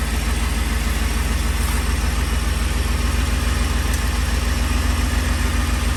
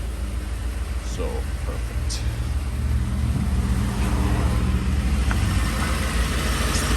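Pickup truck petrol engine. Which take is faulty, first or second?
first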